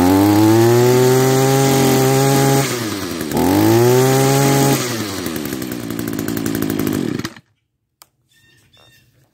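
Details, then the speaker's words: Old Echo SRM-210 two-stroke trimmer after fuel lines replaced and spliced kill-switch wires repaired: revs up, holds high, blips again, then cuts out cleanly on the kill switch; runs strong, switch works. "it works all right that just about leaves it for part one of this restoration video will it run and uh yeah it runs"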